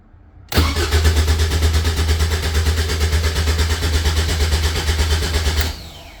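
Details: Caterham 7 620S, cold after sitting overnight, fuel pump primes, no rpm shown on tach while cranking: steady starter whirr with even compression pulses about three per second for five seconds, never catches; cranks, no start, immobilizer suspected.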